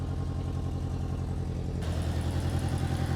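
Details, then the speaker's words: 1994 Honda Accord turbo engine with ring land problem, heavy oil smoke: lumpy uneven idle, irregular low chuff and clatter, missing on a cylinder; owner suspects exhaust leak from turbo manifold; engine to be rebuilt or replaced. "it sounds pretty bad to be honest but that's because you know it's missing on a cylinder"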